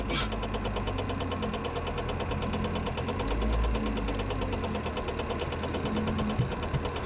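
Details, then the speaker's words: 1994 Saab 9000 idling with a fuel leak. Quick, even ticking at about three per second over a steady idle: the heater blower fan is striking something under the dash and can't be turned off. "Blower's hitting something under the dash. And you can't turn it off, which sucks."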